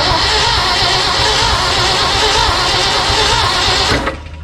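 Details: 1974 Ford F-750 dump truck sitting 4–5 years, with a rebuilt carburetor and spark confirmed: steady loud cranking churn with no catch before it cuts off; cranks, almost fires, no start yet.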